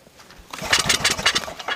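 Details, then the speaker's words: Murray mower engine that drank water: starter churns in uneven bursts for over a second with no firing pop; cranks but won't start, suspected timing or broken key, head gasket or piston rings, unconfirmed. "we've killed the battery so Bruce is going to pull it over you can hear it for yourself it's not even trying the fire"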